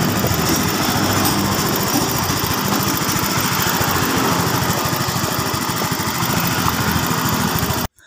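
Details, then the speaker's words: Scooter (Mio M3) after new piston and camshaft rocker replacement fixing a rough, weak engine: runs steady and even at about three and a half firing beats a second, no knocks or rattles; no longer rough, pulls strongly. "ya Tidak sudah tidak kasar lagi mesinnya oke sekarang untuk larinya juga kenceng tidak tersendat-sendat"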